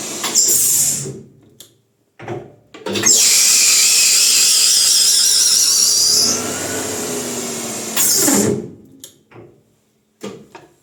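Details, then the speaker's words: Lathe at its highest speed, around 2500, testing a bicycle disc brake: loud, steady high-pitched screech in bursts over the spindle run; the operator thinks the belt may be slipping over some parts, not certain. "I'm always scared of the speed because it's so noisy. I don't know, this belt is, I think, it sounds like the belt is slipping over some parts there."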